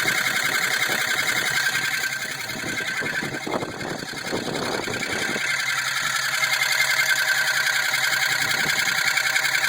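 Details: 2002 Jeep Grand Cherokee 4.7 V8 at idle: quick steady light ticking, about three or four clicks a second, over hissy top end; unchanged by driving distance, quieter at speed, full power, no misfire, good oil pressure; cause unknown.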